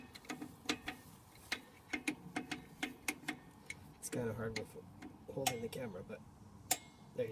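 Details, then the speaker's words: Rear drum brake on a 2008 Toyota Tacoma, new shoes fitted: crisp, uneven ticks, two or three a second, as the star adjuster is turned down with a screwdriver to expand the shoes outward; normal adjuster clicking. "you hear that that's adjusting it so that's opening it"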